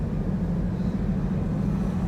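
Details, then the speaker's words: 2020 Mustang GT with Ford 10R80 10-speed automatic under light throttle: smooth, even drivetrain hum, no clunks or flare while skipping gears (1-3-4-6 or 5-6); normal, under heavy throttle or sport mode it uses every gear. "five and then six so skipping gears is completely normal as well just so you guys know under heavy throttle it'll go through each gear"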